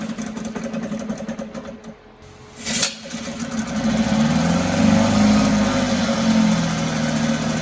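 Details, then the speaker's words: 1974 Mercury 4 hp single-cylinder two-stroke outboard in a water test tank: catches, sputters and briefly dies, then buzzes unevenly near idle; fuel starvation, owner suspects a tired fuel pump not drawing fuel from the tank. "so I have a feeling the fuel pump may be a little tired it's not keeping up it's not drawing the fu"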